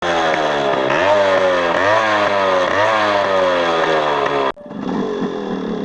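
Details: Yamaha RX135 two-stroke revving up and down: raspy, buzzy crackle over the exhaust note, consistent with an exhaust leak. Cause suspected, not confirmed.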